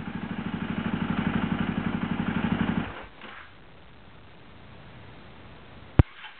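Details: KTM SXC starting: fast, uneven clattering churn for about three seconds that stops abruptly with a sharp snap; bad starter clutch.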